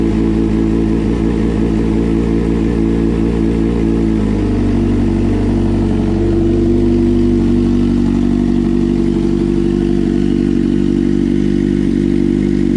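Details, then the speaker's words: 2006 GSXR 600 after engine swap: a disconnected lead to one cylinder's throttle body caused backfiring; once plugged in, steady even four-cylinder idle after a short blip, no codes. Normal running. "But as soon as I plugged it in, it cleared right up."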